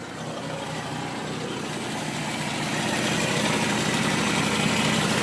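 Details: Toyota AW11 with 4A-GE engine at idle making a quick, regular tick that grows slightly louder; abnormal ticking of unknown origin.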